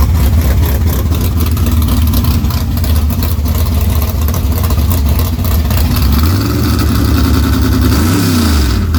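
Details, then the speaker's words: Small-block V8 after an engine swap, timing advanced about 8–10 degrees and carburettors adjusted: deep burble climbs crisply on each blip and drops straight back to a steady idle with no stumble; sharp, healthy response. "Hell yeah, it's snappy as a motherfucker, ain't it? It sounds good. It sounds fucking good. Sounds like a damn race motor, that."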